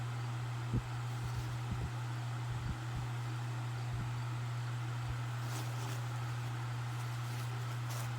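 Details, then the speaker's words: 1996 Duracraft pedestal fan, now a parts fan, on high speed: steady low hum with soft airy rush, no rubbing or rattling. The hum comes from the stool it sits on, not the motor. Normal running. "The hum you hear from it is from the stool it is sitting on. It's not the fan motor."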